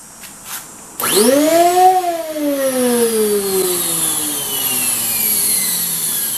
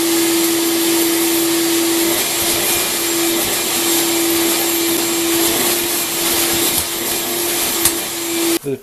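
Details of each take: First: Craftsman 12-gallon wet/dry shop vac, really noisy with no suction: motor whine sweeps up fast then sags slowly, loud and rough; debris clogging the fan impeller vanes. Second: Craftsman 12-gallon wet/dry shop vac after cleaning debris out of the clogged fan blade and opening the baffle: steady airy rush, faint constant hum, no howling siren; strong suction, running normally.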